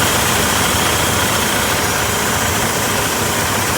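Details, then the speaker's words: Semi truck idling after 30-minute stop, parked; steady loud hiss over idling engine that continues even with truck shut off; air compressor or air governor initially suspected but not confirmed; unexplained air system noise. "I was trucking and I stopped for a 30-minute break at Tom's Brook, Virginia. And then I stop and I hear this sound over here."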